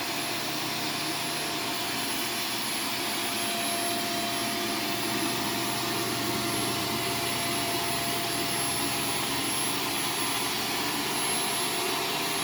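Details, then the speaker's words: Vacuum on carpet mode picking up Arm & Hammer carpet powder: a loud, steady whine with a thin, strained high edge as the motor labours and the filter clogs with powder. "it already sounds like it's clogging up okay well foreign [Music] it sounds like it's choking what it sounds like it's choking probably because it is"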